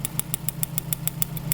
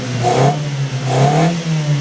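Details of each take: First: 1995 Mitsubishi Libero 4G15 waste-spark engine with loss of power after plugs, cap and wires were changed. With the No. 1 plug lead pulled, snapping spark ticks sound over a lumpy misfiring idle; the strong spark shows the distributor works well. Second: 1995 Mitsubishi Libero, 4G15 engine, waste-spark ignition, loss of power suspected from a faulty distributor with weak spark: quick throttle blips about once a second rev cleanly and drop back, no misfire or stumble; much better than before.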